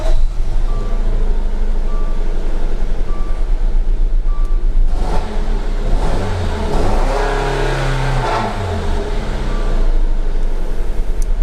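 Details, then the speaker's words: Dodge Dart petrol engine idling roughly with uneven, stumbling pulse and dash chime; misfire with engine light on. "I want you guys to listen what it sounds like he will be misfiring and you will notice the engine light will be on so listen now"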